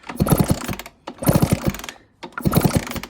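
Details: 1996 Honda CR80 two-stroke project bike, fresh 30:1 premix, new fuel line, sticking carb float addressed: three kickstart bursts of quick ratcheting churn with no firing; spark present but possibly intermittent; fails to start.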